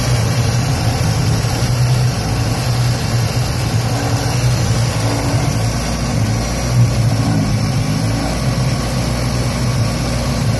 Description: '76 Datsun B210, 1.4L... rough idling and dying at every stop.